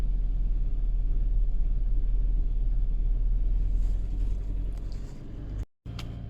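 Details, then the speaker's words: VW Caddy/Seat Ibiza 1.6 TDI CAYC diesel after cambelt and high-pressure fuel pump replacement, weak battery, pump primed and easy start sprayed; low uneven churning cranking for several seconds, no firing; crank no start. "it sounds like it's turning over right so everything's all good fingers crossed ah batteries no good um"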